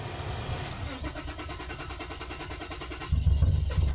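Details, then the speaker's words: Nissan SE-R with a head gasket leak, before adding Blue Devil sealer, starter fluid sprayed in: starter churning, then a few rough low bursts as it briefly fires and sputters out; stumbling start, won't keep running. "Alright, so I did spray a little bit of starter fluid to hopefully give it that nice little push to hopefully turn over. So here we go. Well, we got somewhere."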